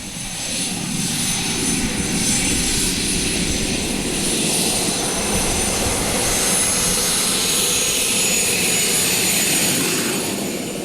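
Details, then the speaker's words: Helicopter turbine engine fitted to a custom motorcycle, burning very lean: shrill, high-pitched, high-frequency turbine scream with a steady airy roar, holding smooth and even throughout; the turbine runs healthy. "au niveau du bruit une turbine c'est pas un bruit sourd c'est un bruit je dirais strident euh sont des des hautes fréquences de bruit"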